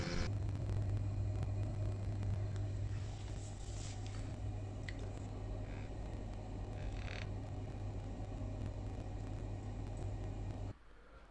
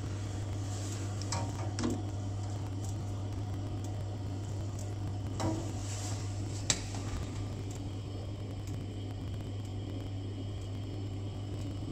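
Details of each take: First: Glow-worm boiler after repair, gas valve seals checked and analyzer reading stable: steady even low hum, no knocks or flutter, then clean cut-off; running smoothly, fixed. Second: Glow-worm boiler, previous engineer had left the gas off: steady low fan hum with faint igniter ticks, no burner catching; pilot sparks weakly but won't light, gas valve/solenoid to be checked next.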